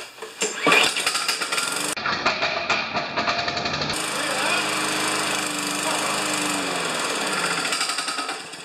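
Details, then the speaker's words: New 150 cc Chinese-made lawn mower, not started in about a month: rough sputtering run that dies with a loud metallic rattle; owner suspects loose blade or timing key off a notch, cause unconfirmed. "there it's dying again so there's a hell of a rattle so I don't know if the blade is loose"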